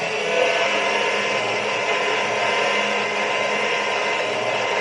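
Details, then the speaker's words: Schaublin 102-80 lathe first test run after installation: smooth, even whir at steady pitch, no knocks or grinding, run at 450 then 1800 rpm and back to 450; spindle running normally and fairly quiet. "she's actually not that loud back down to 450 lovely lovely good stuff so i'm really pleased about that"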